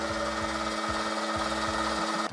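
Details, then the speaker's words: Ferrari 308 GTSi on ether: steady starter whirr with a rhythmic pulse that cuts out without catching. Cranks with no fire or spark; the plugs were fouled, likely from running rich. "so overall we had a no start condition on this Ferrari"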